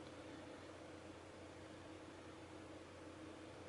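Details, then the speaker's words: Graphics card whose stuck fans had let it reach 92°C, now spinning after being prodded with a pencil and set to run continuously at a low percentage with no load: soft steady whoosh and faint hum, no ticking. Normal low-speed fan. "yeah the fans yeah i've set it to continuously use the fan at a lower percentage even when there's no load that's where you can still hear the fan yes"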